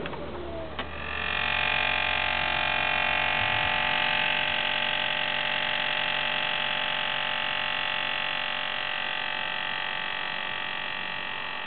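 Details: Saab: steady, buzzy electric-sounding whine running about twelve seconds after the engine is switched off, then cutting off; source unidentified.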